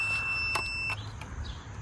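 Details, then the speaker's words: Garden railway track reassembled after trying cardboard pieces: steady high continuity-tester beep for about a second then cuts off, track shorting again; short on one side of the track only, cause unknown. "I give up I got the track back together and now it's shorting out again I have no idea"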